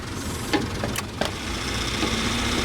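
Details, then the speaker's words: 1995 Daihatsu Hijet S110P EFI mini truck, automatic, 4WD, during an R-134a recharge at the low-pressure port: steady idle with sharp clicks and a brief surge as the A/C compressor clutch kicks in, compressor engaging normally. "اور جیسے ہی میں نے یہ کیا کہ اس نے بنیادی طور پر کمپریسر پر لات ماری"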